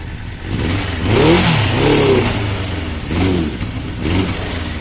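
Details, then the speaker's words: 1982 Suzuki GS650GT at its first start since delivery: revs blip up and fall back unevenly, hesitating and sagging. Rough running; owner suspects fuel is not getting through properly. "i think the fuel's not really getting to it right but i've got it running i'm impressed with myself here you have it running running rough but running nonetheless"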